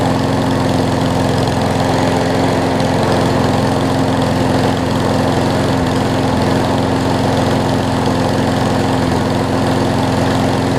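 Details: Craftsman push mower after carb clean and oil change (old oil held water and mess): steady, even small-engine drone with no stumbles, surging or knocks; runs a lot better now, healthy.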